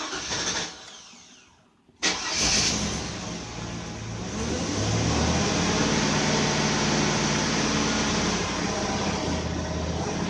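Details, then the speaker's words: 2002 Chevy Avalanche 2500 with a failing fuel pump whose pressure rises and then falls off: it cranks briefly, cuts out, then catches into an uneven idle. It also hesitates on acceleration and shows a misfire code. "I and it will start up consistently but intermittently check the fuel pressure fuel pressure will rise and then it will just fall off just as the pumps doing now"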